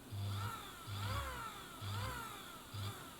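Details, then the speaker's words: Bernina Record 830 sewing machine motor tested on bench after brush and capacitor check, cover on, foot controller: short bursts of low, even hum at slow speed with no load; motor runs smoothly and healthy. "but in a little you know slow"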